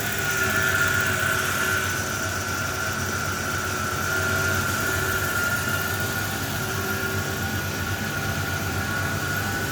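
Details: 1990 Ford Ranger XLT 4x4 SuperCab 2.9 running and revving: a thin steady high whine stands above the rumble through the revs; source uncertain. Valve-train tick mostly gone after oil change with Marvel Mystery Oil; starter failing.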